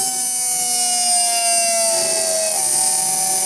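Loud, high siren-like whine that slides down in pitch as the motor slows, over a hiss. Worn motor bearings are howling.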